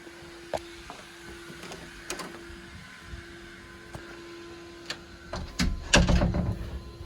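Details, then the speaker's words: Central vacuum motor after a whole-house vacuum, heard downstairs. A steady mid-pitched hum with a second higher tone, plus clicks and handling knocks. Two pitches from the single motor; owner suspects a bearing going bad. "i can't hear it as much here but upstairs i can hear two different pitches now there's not two bit different motors in this thing but i heard the vacuum and i think the other noise i'm hearing is the bearing going bad"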